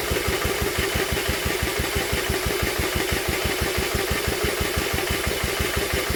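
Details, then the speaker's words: Old Villiers engine refitted to an Atom, spun over with a drill on the flywheel, choke off: steady thudding compression pulses about three a second, never catching. "we're not even getting a spark are we we're not even getting a fart I thought she might have at least farted on us but so far no far at all"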